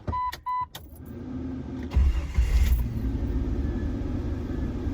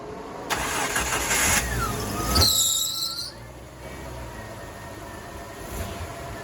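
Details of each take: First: Jeep Wrangler, cold start with AC and fan on for full belt load after belt squeal repair: cranks, catches and runs rough with no squeal or rattle; no belt squeal on start-up. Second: Jeep Wrangler at startup: sharp, high squeal in several bursts over the engine, worse with the air conditioning on from the compressor load; slipping serpentine belt with a worn tensioner.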